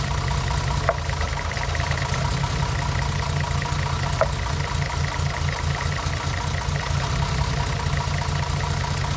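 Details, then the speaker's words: 1975 Mercedes 280SL, M110 engine, unrun for 10+ years, with new plugs and serviced injectors: lumpy idle with stumbles; pulling the third cylinder's plug lead causes no rev drop, pointing to a dead cylinder causing the misfire. "I don't know how well that came out in on camera, but when I take this spark plug lead off here, there is no change in engine um tone. The revs don't drop slightly."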